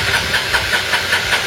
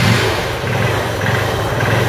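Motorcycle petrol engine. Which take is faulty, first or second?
first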